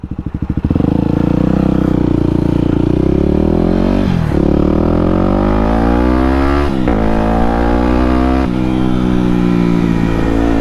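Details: Yamaha WR250X supermoto on test ride after fixing the problem that caused cutting out under full throttle: the single rises crisply through the revs with clean breaks at three upshifts, no sputter or hesitation.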